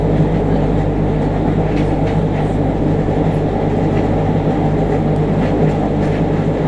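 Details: JR Kyushu 303 series set K01, car 4 MoHa 303-1, recorded directly above the Hakata-end bogie on a rapid between Shimoyamato and Hatae: low steady growl over the wheel and rail rumble, following motor speed, with heavy vibration. Rough traction motor.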